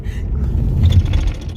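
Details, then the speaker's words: Ford Mustang GT 5.0 convertible with only 40,000 miles driven over potholes; irregular hollow clunks and rattles over low road rumble; something loose in the body, source not identified. Body rattle over bumps. "So I'm sorry Ford, but you gotta work better on your car. So you hear that shit? It's got only 40,000 miles, guys."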